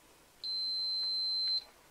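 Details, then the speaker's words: Old multimeter being repaired after 1,500 V was run through it, continuity test of its piezo buzzer: one clean high-pitched steady beep about a second long, no crackle or dropout; buzzer working properly. "so next on our list is our little buzzer our piezo buzzer"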